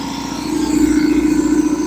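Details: Revived long-idle belt-driven air compressor on first run, oil added: even steady pump drone, no clatter or slowing, building pressure; quieter than a Harbor Freight unit, belt could be tighter; normal running.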